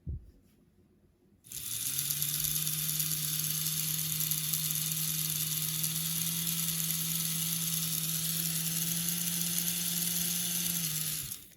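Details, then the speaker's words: AHM/Rivarossi 2-8-2 Mikado model locomotive, unrun about 15 years, just regreased and oiled, run-in test: smooth steady whir at constant pitch with even gear hiss; motor running normally. "Now let's test it and let all that grease and oil break in."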